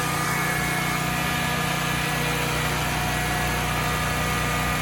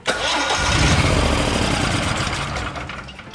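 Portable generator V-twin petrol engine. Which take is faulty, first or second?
second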